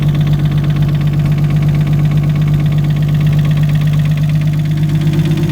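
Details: Nissan RB25DET engine at idle: steady, hard knock about three beats a second; rod knock.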